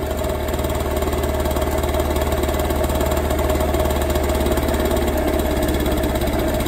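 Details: Warm two-stroke scooter idling unsteadily with ragged faltering beat while carburettor idle mixture screw is turned in until it stalls; mixture too lean.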